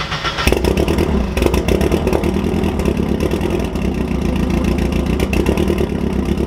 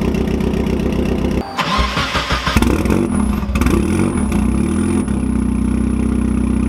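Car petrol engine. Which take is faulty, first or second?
first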